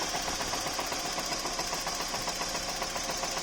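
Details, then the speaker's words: Opel Vectra A C20NE after engine rebuild, cold, in break-in: uneven ticking idle with sharp clatter about four beats a second, like misfires; smooths as it warms; codes 71 and 19 appeared; owner suspects MAF, ignition wires; clutch knocks cold. "холодное колбасит. Вроде есть, похоже, пропуски зажигания. Что посоветуете? По мере прогрева встает более-менее стабильная работа."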